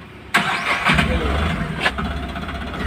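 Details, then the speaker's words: Tata Ace Gold BS6 diesel with starting problem, after earth wire cleaned and redone: short crank, catches right away and settles into steady even idle; normal start. "हमारी गाड़ी हो finally start बहु रहिए है"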